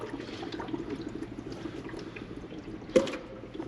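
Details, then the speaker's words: Jeep TJ warming up after repair, air likely still in cooling system: bubbling, gurgling with a hiss surge after shutdown as coolant boils over from overheating. "Now, she is getting warm, so we're gonna turn her off because I'm sure there's still a bit of air in the system. So yeah, you can hear it boiling over"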